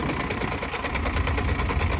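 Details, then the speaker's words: Truck diesel at idle before the fix, with the new exhaust fitted: a thin, high, rapid chirp that grew worse and stops when the clutch is pressed slightly. Cause: crank damper dust boot rubbing the front cover. "Ну что-то он начал всё сильнее и сильнее скрипеть Да блин всё я выехал с территорию хочу вам ещё раз показать что чуть-чуть вот нажимаю сцепление и этот скрип исчезает видите"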